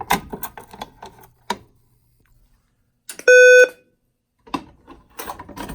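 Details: Simplex 4010 fire alarm panel with a 4003 attached, in walk test mode, device activated: one short, steady alarm tone of about half a second between handling noises. A normal, quick walk-test signal.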